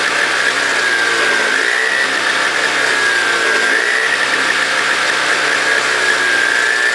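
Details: Toro CCR 2000 single-stage snow blower, 4.5 hp two-stroke, after cleaning; smoked from very old gas backed into the cylinder; warming up: steady even high-pitched buzz at constant speed, no surging or stumbling; normal running.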